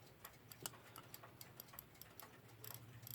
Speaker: Don't know if you can hear it. It sounds like a frog.